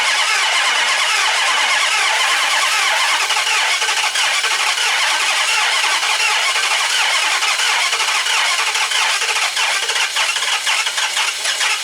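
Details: Discarded 2005 Dodge Magnum RT Hemi with two dead cylinders on one bank, cranked with throttle applied. Starter spins the engine steadily, about two beats a second, but it never fires; crank no start with no fuel pressure.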